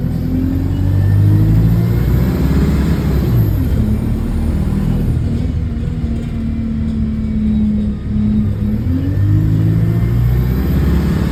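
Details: Bus 36545 (LX12DJO) on route 314, recorded onboard: a deep diesel drone rises and falls as it pulls away, with a rough puffing edge under load from an exhaust leak.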